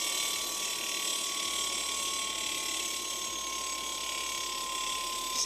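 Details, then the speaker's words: Rebuilt 20-year-old Razor MX350, wheel freewheeling: a steady light scraping hiss with a thin tone. The disc rotor is not centred between the pads and rubs; the fix is centering the caliper. "That grinding sound that you might be hearing is from brake rotor drag, which I'll be adjusting shortly. I just need to center the caliper. It's when the brake rotor is not centered perfectly between the brake pads."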